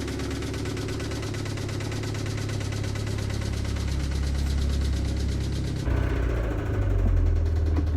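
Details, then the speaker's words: Toyota MR2 Spyder with 1ZZ engine, blown, started for the first time in over two months: rough, uneven running with a steady rapid knock riding the idle; internal failure, with big metal chunks later found in the drained oil. "guys it is time to finally start the mr2 it's been over two months since this thing was last started and it's gonna sound really bad when it starts"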